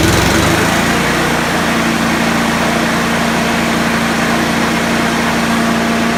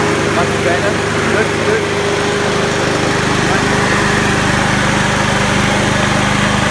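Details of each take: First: Honda HRU216 mower that would not rev to full speed, after moving the governor arm to preload it: small single-cylinder revs high and holds a steady even buzz with no hunting; top speed much improved and still idles well. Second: Honda HRU216 mower, single-cylinder at full throttle in the fast position: steady drone running noticeably slow, about 20% under full rpm because the governor lever is set low; moving the governor arm further right raises speed.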